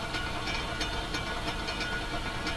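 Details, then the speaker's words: 1940s Philips PH202 rim-drive phonograph at 78, one needle's diamond missing: low thump about three times a second under hiss, like train on rail joints, from flat spot on idler wheel hitting rim. Rim drive turntable rumble. "so that gives you an idea what an old Rim Drive record player sounds like you put the needle on the record and that that Rumble will come right through the speaker"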